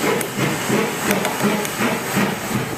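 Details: Failing agitator motor: harsh, uneven knocks and rattles about three a second over a hiss; output bearing cage suspected broken up, not yet opened or confirmed.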